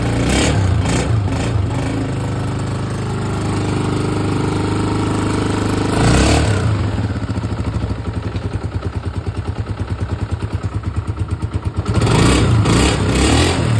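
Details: Honda CG 125 single-cylinder motorcycle after a complete head/cylinder fitting fixing cam gear noise and smoke; thumps steadily at idle, blipped up and back down, no top-end tapping; runs clean and even.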